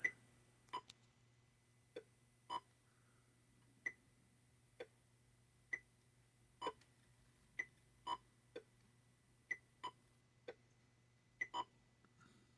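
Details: Atari Breakout arcade PCB after an open sound capacitor was replaced with one measuring about 1.0 µF, during play: clean paddle, wall and brick blips and pings with clear pitch and no buzz or hum; the audio problem is fixed.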